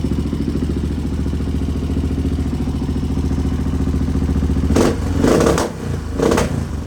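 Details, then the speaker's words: 1986 Honda XR628R with dual carbs, after richening the needle clip positions: it idles fine with a thumping single-cylinder beat, but sharp crackling pops burst out on each throttle blip in neutral. Worse than before; cause unconfirmed. "Lots of popping. It'll idle fine. wasn't doing that before, just at idle, or I mean in neutral. So it actually got worse."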